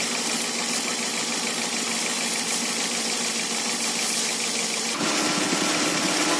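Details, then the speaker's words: Idling engine with water sprayed on the belt drive: water hiss, then a thin steady squeal from the front. The V-belt slips when wet, causing a battery warning and heavy steering in rain; the belt is loose or its grooves are worn. "Apabila basah, benda tuh berlaku. Antara sebab dia V-belt nih longgar ataupun V-belt nih parit dia tuh makan dalam, perlu diganti."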